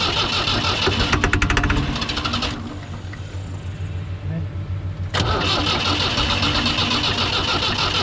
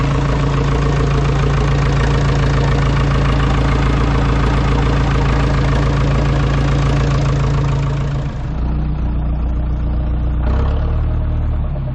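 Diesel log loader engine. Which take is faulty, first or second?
first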